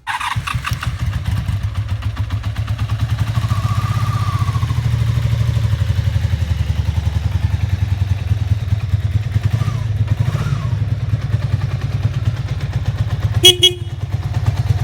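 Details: 1988 Honda Super Magna VF750 running on new gas with the choke on, throttle held up by the cruise control: quick, even firing at a fast idle. It won't settle to a proper idle, and the carbs still need cleaning.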